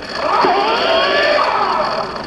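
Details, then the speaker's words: New adaptive electric mountain bike, first ride: loud, strained motor whine wavering in pitch without easing off; drive stuck at full assist and settings cannot be changed, computer suspected faulty. "too powerful holy crap yeah I gotta do I gotta do some about this I'm writing right now something's wrong with the computer it's on like full blast high and I can't change the settings"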